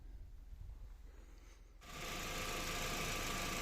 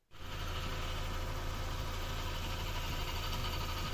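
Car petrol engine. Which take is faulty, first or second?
second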